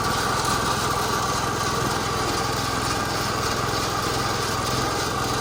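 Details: Massey Ferguson 16 garden tractor with old Kohler single-cylinder engine, revived after sitting since about 2013 with a replacement aftermarket ignition (33-393); everything works: steady even buzz at constant speed, no misses or knocks; running healthy.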